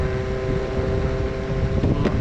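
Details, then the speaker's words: Meepo V3 electric skateboard, riding: a steady high motor whine over wind and road rumble, sounding like a race car. The rider first suspected the motor was shot. "not going to cut it my motor shot i'm crazy my thing sounds like a race car dude"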